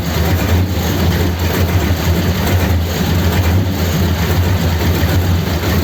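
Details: 1932 Ford sedan after fixing a fault with new high-pressure fuel pipes and topping up low oil, started to check for leaks: low, steady idle with a soft, even pulse and no ticking or knocking; runs smoothly.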